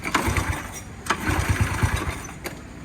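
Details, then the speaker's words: Honda EX5 single-cylinder motorcycle just started after rebuild with new casings, bored 56 block, ported head, Wave 125 28mm carburetor, exhaust to be changed: lumpy uneven idle with surges and pops; idle not yet adjusted. "So dah start lah, cuma idle dia nanti nak adjust. Tapi dah start dah guys."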